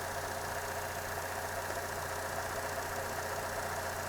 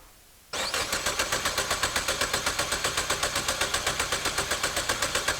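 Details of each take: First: 2015 Chevy Cruze with P0171 and other codes, long-term fuel trim 30%: shaky uneven idle with steady sucking hiss at the PCV valve; covering it drops short-term trim to about -25, confirming vacuum leak from failed PCV valve. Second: 2015 Chevy Cruze with P0171, P00B7, P0131, P1101 and P0599 codes and 30% long-term fuel trim, audible compression test: steady cranking about four beats a second, every beat equal, so no weak cylinder.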